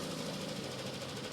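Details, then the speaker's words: Yamaha Aerox scooter at idle after its original cam chain tensioner was repaired: even, steady idle with a smooth mechanical hum; the earlier loud hammering knock is gone. "Alright, so ayan, rinig nyo naman mga tampil, wala na yung sobrang ingay kanina na lagutok. Parang may nagpapanday."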